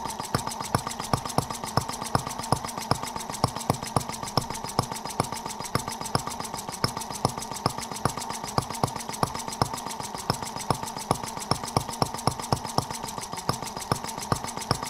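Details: Microcosm R18, a model of the engine in the 1886 Benz Motorwagen, on its first run after unboxing: crisp, evenly spaced firing at steady speed, no misses, virtually no vibration. The slide valve must stay lubricated, or an oil-seal vacuum leak results. Normal running.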